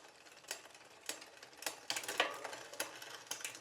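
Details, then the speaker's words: New Poseidon Triton road bike during build, factory drivetrain shifting: light uneven scraping ticks about three a second with crank rotation, unwanted grinding and frictional noise from chain rubbing; derailleur needs adjustment. "just some unwanted kind of grinding and mechanical frictional noises so in this case we do need to make some adjustments"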